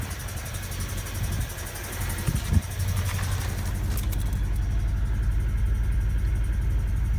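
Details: Honda D16Y7/Y8 engine at idle and revving: steady even knock about four per second, sharper when revved; owner suspects a spun bearing from too much nitrous, unconfirmed.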